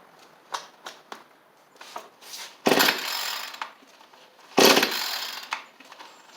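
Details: Cheap two-stroke edger/trimmer, carburettor refitted, started with choke on: fires and revs in two short, crisp bursts with quiet gaps; picks up cleanly and keeps running.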